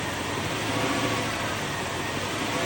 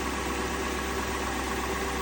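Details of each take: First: 2002 Lexus LS430 V8 at smooth steady idle with faint thin whistle; owner suspected alternator whine but judges it normal for the engine. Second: 2002 Lexus LS430 idling after an alternator replacement: a smooth, steady low hum with no whine under the hood. The new alternator cured the engine-bay whine but not the whine through the stereo.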